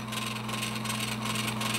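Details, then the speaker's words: Edison Amberola 1A spring-motor phonograph mechanism in a reproduction Opera case: a steady thin whine over a low hum from the brass gear meshing with the fast pinion. Pitch rises with the speed control; this is normal, though worn pinions can get noisy. "what that whine noise is is actually this brass Gear meshing with the pinion gear a lot of times these pinion gears because they move at such a fast speed they eventually become worn and they may create a noise"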